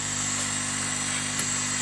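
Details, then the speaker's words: Chinese laser cutter air assist pump running with the machine off, heard at the nozzle with the pulse limiter and jam-jar fitted, object held in front of the airflow. Even hiss over a steady pump hum with no banging or pulsing; stable airflow. "if I put something in front of the airflow this sounds pretty stable"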